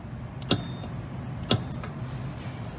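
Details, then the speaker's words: Henny Penny combi oven, after isolating the lift magnet during a dead-short (blown fuse) diagnosis, R8 relay run: two crisp clicks about a second apart over faint hum as the magnet lifts and closes; solenoid working normally. "but listen for the magnet lifting and closing"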